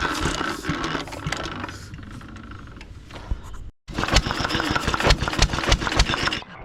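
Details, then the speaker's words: 1920s Taylor Model B hit-and-miss vacuum engine, long unused, restarted after fuel work, choked to burn old gas; uneven chuffing firing bursts pick up after a pause into loose rhythm, running normally, steaming in the heat. "She uh she definitely is a runner, ain't she? She's not real hot. She's steaming more in this heat."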